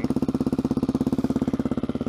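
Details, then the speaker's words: 2013 Suzuki DR-Z400SM cold start at 15 degrees after 4 days unused, full choke, 3+ year old stock battery, started on second push: even steady single-cylinder thump, no misses or knocks; healthy cold idle warming up. "Let her warm up. Oh, just kicked up a little bit there. Let her warm up for 10 minutes and we'll go rip it."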